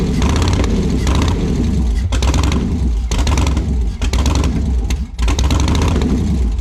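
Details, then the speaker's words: Woody Wagon V8 first start, spark confirmed on all eight, three driver's-side headers staying cold: lumpy surging cranking with uneven firing bursts and dropouts, never runs on all cylinders; owner suspects gummed-up injectors. "we still have three on the passenger side sorry the driver's side that's not getting hot on the headers yeah we've sparkling all eight it's probably something to do with the injectors gummed up or something i don't know"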